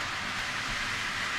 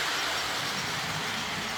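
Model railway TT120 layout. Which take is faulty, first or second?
first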